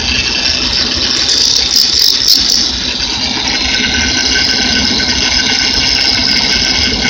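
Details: Bad power steering pump at idle: high gritty squeal with rough rattle over the running engine, steady at idle; worn bearing inside the power steering pump.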